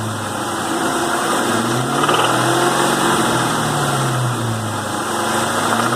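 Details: 2001 Mustang Cobra 4.6 4V V8 at 78,600 miles, running at light load: a faint regular tapping about four per second over the exhaust drone. Engine knock heard under light load; the cause is not diagnosed.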